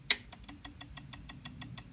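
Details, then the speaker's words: ATV/motorcycle battery reading 12.46 V at rest drops to 6.3 V with the key on: pressing start gives rapid, even clicking about six per second with no cranking. The weak battery collapses under load, showing that a load test is needed. "okay so any draw on this battery is sucking the D battery all the way down and it's not enough to crank it all right it's just weak"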